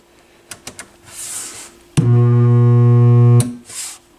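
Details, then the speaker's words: McIntosh MAC 1900 stereo receiver on a dim bulb tester: at switch-on a loud steady low raspy buzz for about a second and a half, then cuts off; a filter capacitor is suspected, not confirmed. "That is most likely one of those filter caps."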